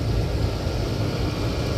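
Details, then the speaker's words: HVAC condenser after replacing the fan motor, capacitor and contactor: even, steady hum and low drone with no clatter or rattle as the condenser fan and compressor run; normal running. "It sounds like compressor is on as well, so after that I will go ahead and measure the pressures, and I will go ahead and wash the unit as well."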